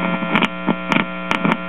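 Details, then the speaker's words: 1946 Belmont 78 rpm record player amplifier: steady low fixed-pitch buzzing hum with a few clicks, mostly hum pickup rather than cartridge output; amplifier works, turntable motor dead. "has a little bit of output but not [Music] much actually that's more hum pickup than anything else"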